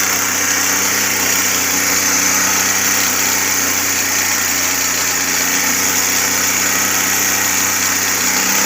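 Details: Carbureted Suzuki Cultus, CDI and ignition coil replaced (now a Japanese coil) because it misfired and stalled after 10–15 minutes warm: an even, steady idle with a constant hum and no misses or dips. It is running cleanly.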